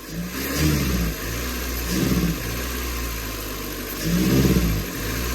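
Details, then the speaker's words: Chevy/Geo Metro before ignition parts replacement: starts fine and idles, but revving sounds lumpy and hesitant, smells of unburned gas, as if flooding; owner suspects plugs, wires or coils. "It had been revving fine at idle, and it does okay when you first start it up. But when you try to drive it, it feels like it's being flooded."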